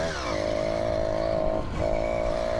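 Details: Two-stroke motorized bicycle (bicimoto) while riding: buzzing note sags and nearly cuts out, then recovers. Power loss that eventually leads to stalling; bad spark plug suspected.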